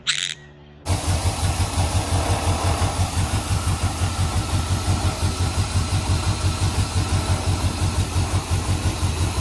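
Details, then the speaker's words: 1968 Suburban with 5.3 LS swap after loose ground fixed and wiring harness replaced: brief crank, then catches and settles into a steady, even warm-up idle with firm regular pulses; best it has sounded yet. "well guys this is definitely the best that's ever sounded up to this point"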